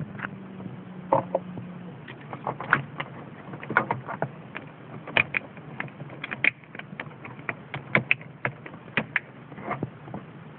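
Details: Mercedes C-Class W202, relay behind the fuse box chattering with irregular sharp clicks over a quiet low hum; cause is the faulty hazard light switch, fixed by replacing it.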